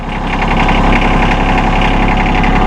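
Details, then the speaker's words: A 2016 John Deere 2025R compact diesel tractor (24.2 engine hp, two-range hydrostat), started in neutral with the PTO off. It starts right up and settles into a steady, even diesel clatter at idle with no knocks or misses: a healthy engine. "he'll jump up here fire it up and we don't have it in range you got to have this in neutral PTO off starts right up man"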